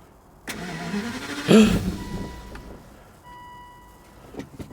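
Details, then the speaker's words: Crash-damaged Aston Martin DB9 V12 manual, after pressing the battery's yellow reset button: starter whirs briefly, engine catches with one loud surge, then dies within a second; it later ran after changing the key, so a dead key is suspected. "ah right how much I got fuel starts but then turns off immediately oh [Music] no brilliant no that's not working is [Music] it"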